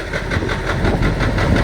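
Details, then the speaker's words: KAMAZ truck with YaMZ-238 diesel, revved for listening: sharp, regular knock about eight times a second over the idle rumble; owner suspects cylinder 7 sounds slightly different, rules out the injection pump; cause undetermined. "я наслушался что седьмой цилиндр немножко отличается по звуку просили меня тут погазуем не это не насос"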